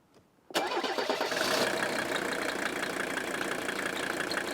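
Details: Mercedes 300D OM617 turbo diesel after rebuilt, tuned fuel injectors, started outside: quick crank catches at once and settles into a smooth, even idle with no misses or stumble; runs healthy.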